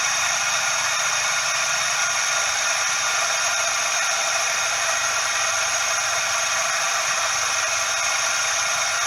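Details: Suzuki Every DA64V engine noise heard up close: steady dry hissing rush with no rhythm ("shaa/jaa"); cause is the belt tensioner bearing, possibly short of grease.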